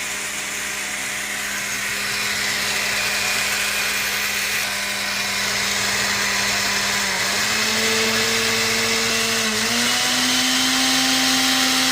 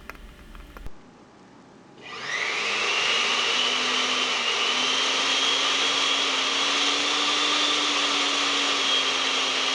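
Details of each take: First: Blender motor running with a loud, harsh roar and buzzing hum and heavy vibration, from a significantly worn lower motor bearing; a carbon brush holder terminal was also nearly detached. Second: Noisy blender after repair: worn lower motor bearing fixed and carbon brush holder terminal repaired; after brief pause motor spins up to smooth steady high whine with no rattle or wobble, healthy.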